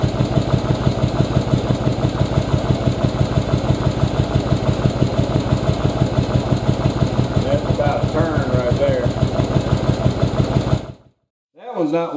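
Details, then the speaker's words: 2nd-gen Yamaha Virago carburetor idle-mixture adjustment, running on the front cylinder only with the rear disconnected: the idle holds steady even with the mixture screw turned all the way in, then cuts out. Owner suspects a dirty carburetor. "oh that's all the way in and it's still running that tells me something may be wrong with my carburetor it might be dirty because if you're running even with it all the way in let me back it back up"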